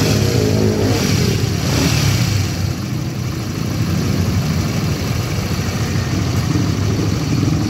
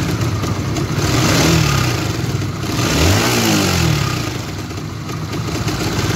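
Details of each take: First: Honda GTR motorcycle that had a rough engine noise, after replacing the chain tensioner: idling and being blipped with a rasping note but no distinct knocking or rattle. Sounds healthy; normal running. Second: Honda GTR motorcycle engine with a rough-noise complaint: a rough, clattery rattle rises and falls with the revs over the engine note; the mechanic attributes it to the cam chain tensioner, a common fault on GTR, Sonic and CB LED, and the fix is replacing it.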